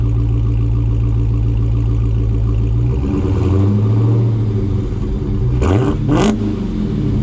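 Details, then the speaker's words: Dodge Hellcat V8 on stock active exhaust with valves fully open: deep even rumble swelling and rising in pitch on throttle blips, then back to idle; normal exhaust note. "this is the stock um uh system on here so these exhaust valves are open and anybody that has a charger pretty much knows what they sound like on a cold St so now these valves are all the way open"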